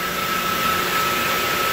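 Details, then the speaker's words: Pump feeding a sediment-clogged heat exchanger in an old central-plant closed loop (30 psi in, 4 psi out) cavitates with the outlet butterfly valve throttled to about 80: steady hissy rushing roar with gravelly crackle over the pump hum. "so for this pump not to cavitate you know from the outlet of the heat exchanger i got this butterfly valve closed all the way to like 80 or just you can hear it cavitate oh hear that not happy"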